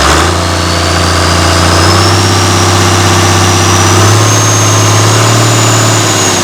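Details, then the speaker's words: Mystery old six-cylinder Perkins turbo diesel from a farm, no history: steady, even clatter at constant idle with a smooth low drone, no misses or knocks; good oil pressure, normal healthy idle. "But in the end, it started up and it did run. Does have good oil pressure and sounds quite good."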